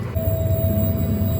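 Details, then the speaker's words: 1997 Jeep Grand Cherokee with no-start: fuel pump heard running at the rear after jumpering the automatic shutdown and fuel pump relays; faint steady hum — pump works normally, but the no-start persists. "maybe you can hear that fuel pump running back here I'll just be quiet for a second"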